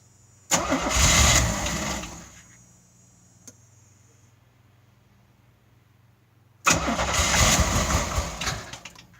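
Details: 1986 Pontiac Fiero with 3.4L V6 after refitting used original 2.8L injectors and Holley 512-501 adjustable fuel pressure regulator, about 58 psi, firing order checked: two long even cranking bursts that never catch; crank, no start.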